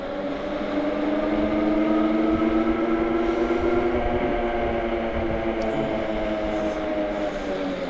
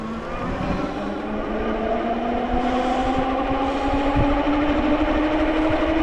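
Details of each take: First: AKEZ electric fat bike (Super 73 clone), lower-power 750 W version at 100% throttle: a smooth, steady hub-motor whine with no surging or hopping over light road noise. Normal motor operation. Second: AKEZ electric fat bike (Super 73 clone) hub motor under full throttle gives a rising whine with a rough pulsing buzz about three times a second, visibly vibrating; goes quiet when throttle eased and ridden slowly.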